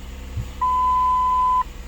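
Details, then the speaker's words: 2010 Ford Edge after brake booster replacement: one clean steady high beep lasting about a second, the check brake system warning, set off by an unplugged brake fluid level sensor. "But it says check brake system, so I'm curious about that."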